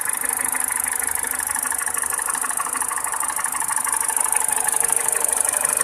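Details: 207 petrol engine at idle: steady, fairly even light clacking about three knocks a second over a thin idle hum; engine knocking, cause not stated.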